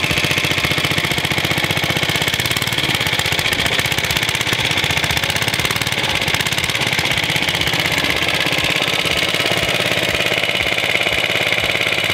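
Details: Suffolk Iron Foundry type 98G14 tiny four-stroke sidevalve single-cylinder, Coca-Cola-bottle size: fast, even popping beat with steady rhythm, no misses or knocks; normal running.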